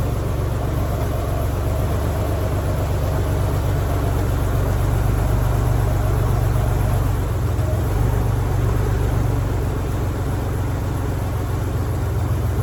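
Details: 1987 Ford Bronco II, revived after sitting abandoned 15 years following a fuel-pump change, restarted after a week in a shop at about minus 15 outside: low, steady idle with even rumble, no knocks or misses; settles smoothly and runs normally.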